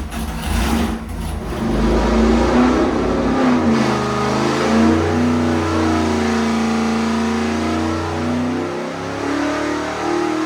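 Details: 406 small-block Chevy nitrous street engine with nitrous camshaft on engine dyno, rejetted two numbers richer after running lean, 750 carb: about ten seconds of smooth even V8 roar, no misfire, pop or knock; reached 1.25 hp per cubic inch. Normal wide-open-throttle pull.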